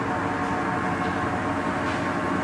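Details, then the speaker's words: Blanchard No. 18 36-inch surface grinder in excellent shape, 0.320 in left on the chuck: spindle started gently, steady even machine hum with no knocks or grinding; spins up smoothly and sounds healthy. "I'll go ahead and start it up here start gentle"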